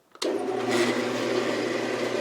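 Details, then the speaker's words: 1948 Delta Milwaukee 14-inch bandsaw, open-stand version: spins up quickly to a steady, even hum with no rumble or buzz. Rubber washers were added at the wheel covers to cure a previous buzzing rattle. Runs normally. "It's a very smooth sounding saw. One of the best sounding bandsaws I've ever heard were these Delta Milwaukee vintage 14-inch bandsaws."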